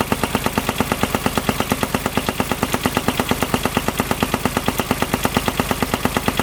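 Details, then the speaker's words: Kubota RTV900 diesel UTV (2007/2009), auction buy with earlier coolant/white smoke issue, knocking on a trail ride: heavy evenly spaced knock almost two hits a second; owner fears rod knock, notes fan feels wobbly, cause unconfirmed. "Alright, so I was riding and all of a sudden I was hearing this sound. Check it out, it does not sound good. I really hope it's not rod knock."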